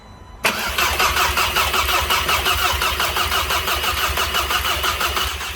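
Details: VW Jetta turbo first start after weeks of build work, cranked first to prime oil to dry turbo; fires right away into smooth even idle, steady pulses, no knock or misfire.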